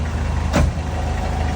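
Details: 1970s Colombian Ford B250 with 2.7 L Nissan turbo diesel at idle: low, even, bubbly beat with no knocks or uneven pulses; quiet, healthy-sounding normal idle.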